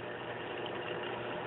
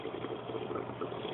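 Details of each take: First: Aquaticlife Internal Mini Skimmer 115 after quiet mod (holes in collection cup cap covered with scotch tape, which stopped the inlet gurgling): soft steady hiss and gentle water noise with a faint low hum, no gurgling; normal quiet running. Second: AquaticLife Internal Mini Skimmer 115 protein skimmer in a two-week-old tank: continuous bubbly gurgle and sputter from the air intake connection, even with a low water level, before the quieting mod.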